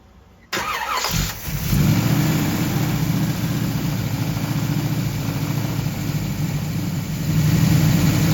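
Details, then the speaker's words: 1969 Camaro SS not started in six years, after tightening the intake manifold bolts: it starts and idles with a lumpy, uneven low beat that never settles; owner suspects a remaining vacuum leak and that the intake gasket may need resealing. "le starter donc je pense qu'il fonctionne un peu mieux maintenant que j'ai serré les boulons mais nous il y a toujours une sorte de fuite de vide"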